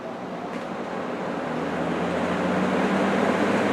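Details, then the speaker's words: Restored old box/table fan started on high: a smooth airy rush swells as the blades come up to speed, with no ticking or scraping. It moves lots of air quietly; the grille vibrates slightly, which a felt pad on the motor would fix. "This thing, as it should, moves a ridiculous amount of air for the amount of noise it makes. And it would be even quieter if I put a little like felt pad on the back of the motor so that the grill doesn't vibrate, because it does vibrate a little bit."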